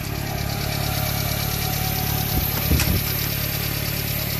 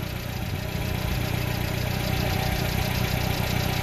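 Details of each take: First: Subaru Sambar Hicab KS4/KS3 kei truck idling slightly unevenly with a faint steady hiss: vacuum leak from swapped vacuum lines, fixed by reversing them. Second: Subaru Sambar Hicab KS4/KS3 kei truck: small petrol engine idling with a steady, even low pulse and no hiss or stumble; normal idle.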